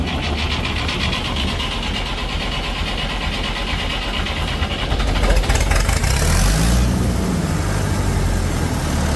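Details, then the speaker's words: Massey Ferguson 165 diesel tractor that wouldn't start, after fuel filters, sediment bowl cleaning and bleeding fuel to injectors from the CAV injection pump: cranks, catches and settles into a steady even diesel beat with no misses; runs like a charm. "here there runs like a charm"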